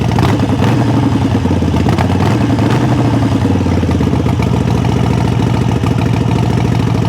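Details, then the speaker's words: 2017 Harley-Davidson XL 883 Sportster with 2,403 miles: deep, loping V-twin idle with a steady beat, no knocks or rattles; normal idle. "It's a good sounding bike, guys. It's a 2017 XL 883. Yeah, she sounds good."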